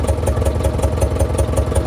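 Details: Heavy diesel truck, long locked up, first run after freeing, water temp 180–190, full pressure: lumpy clattering idle about five pulses a second as dead injectors come back; blow-by and mist fading, one injector leaking fuel.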